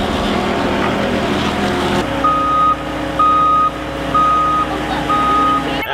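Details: Track loader reversing: a clear mid-pitched beep about once a second over the diesel rumble; the backup alarm is working normally.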